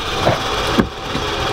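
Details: Toyota Supra project car with Swedish engine, running during fault diagnosis: steady, smooth mid-pitched drone with no knocks, misses or surging; engine running well.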